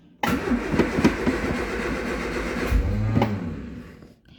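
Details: Triumph Spitfire 1500, carbs and welded exhaust just refitted, choke used, battery had been unattached: uneven cranking with stray pops, brief attempt to catch near the end, then dies; won't start, cause not confirmed.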